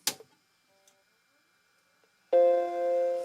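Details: Mac Classic II motherboard after recapping, with a SCSI Zip drive and System 7 boot disk attached: after a near-silent pause one clean sustained chord rings and fades, the normal healthy power-on chime.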